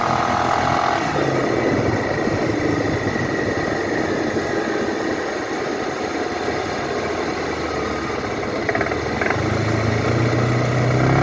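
Scooter engine pulling with an uneven light knock riding over the drone as it picks up speed; source of the knock not pinned down.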